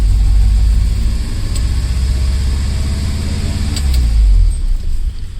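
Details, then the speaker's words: 1968 Lancia Fulvia, first start after long time off the road and new parts, with jump pack: fast steady engine rumble that won't settle; idle far too high, carbs and timing not yet tuned. "a very high idol but it's alright is running which means we didn't mess it up so that's good"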